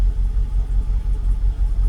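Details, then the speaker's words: Jaguar XKR (X100) V8 idling evenly with a low, gently pulsing rumble after needing throttle pumping to restart; intermittent rough idle suspected from cam position sensor or a cam cover bolt; revs later drop; normal idle for now. "well we're running oh my car's so weird look at that it's idling oh my God what is going on no restricted performance nothing"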